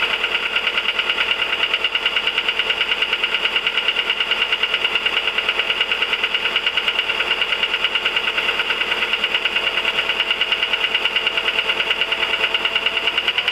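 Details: 1999 VW 1.4 16V: light even ticking about three per second over steady idle; engine ticking at idle, cause unconfirmed.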